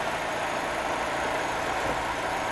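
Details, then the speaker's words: Opel Meriva 1.8 16V 125 hp petrol with Easytronic automated gearbox, 124,603 km, timing already replaced; very quiet, smooth, even idle with a soft steady hum and no knocks or ticks: normal idle. "hallgassuk meg akkor ezt a nagyon kis csendes motort. Tényleg rendkívül csendesen dolgozik, és vezérlészt is cseréltek már rajta"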